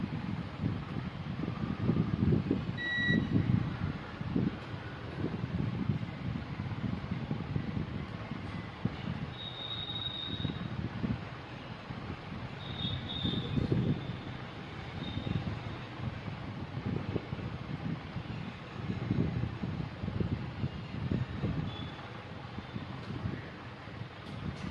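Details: Maruti Wagon R K-Series petrol engine at idle: lumpy, uneven low chuffing with missed beats from a cylinder 3 misfire.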